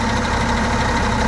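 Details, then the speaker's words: M939A2 wrecker diesel idling for a long time in Texas heat, no heat smell or signs of running warm; dash gauge was suspected of reading falsely: steady, even low rumble with no knocks, misses or fan roar; normal idle. "or quite some time there's no smell of heat or you know any signs that it's running warm at all as you can you can hear it it sounds fantastic"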